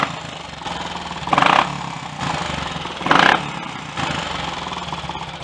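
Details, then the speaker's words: Triumph Tiger Cub single after top-end refresh, new piston rings, oil change and crankcase strainer clean: even idle thump, clean throttle blips, no valve-gear clatter once scavenge pump delivered oil to rockers; normal. "that's took a little while before the scavenge pump picked up any oil and sent it to the valve gear and the rockers whatever it sounds just like it used to again now"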